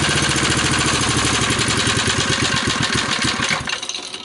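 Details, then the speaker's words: 1971 ARCO mini bike, 3 hp Briggs & Stratton single, oil topped up: fast rapid popping for a few seconds on a shot of starting fluid, then dies as it burns off; confirms spark and compression. "So not bad for just running on starting fluid. That makes me happy. It tells me that the engine has spark and has potential to run."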